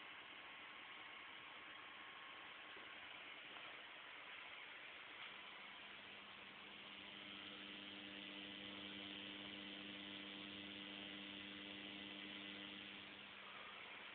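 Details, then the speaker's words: M-Audio Conective soundcard with nothing connected except a 9 V AC power adapter gives a steady, thunder-like buzzy hum with fixed tones and hiss. It is a ground loop from the adapter; the noise stops when grounded or unplugged. "This is the sound we are listening to. Almost like thunder, and there is absolutely nothing connected to it but a 9-volt power plug-in."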